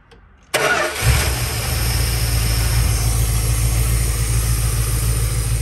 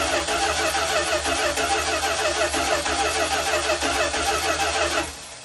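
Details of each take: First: 1972 Dodge Tradesman camper van abandoned 10 years, after new starter relay, voltage regulator, ballast resistor, battery, fuel pump, filter and sending unit: engine catches after half a second into steady, even low idle, no misses; normal start and idle. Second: 1972 Dodge Tradesman camper van abandoned in a field ten years, hot-wired with new starter relay, voltage regulator, ballast resistor and battery: starter cranks steadily about three turns per second but engine never catches; no fuel reaching the see-through filter.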